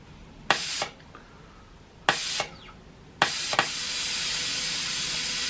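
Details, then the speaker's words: Home-built CNC minimum quantity lubrication mist nozzle with peristaltic pump, flow rate turned up after back pressure on air supply: short spray bursts then steady loud hiss, far too much oil squirting; oil/air ratio needs adjusting. "Oh God, we've got a squirter. Let's see if we can turn that down. There's far too much oil coming out there."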